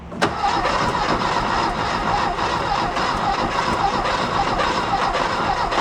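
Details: 1969 VW Fastback sitting 19 years, gas squirted into intake: steady fast starter cranking for seconds with no catch; turns over but won't fire, starter rested to avoid overheating.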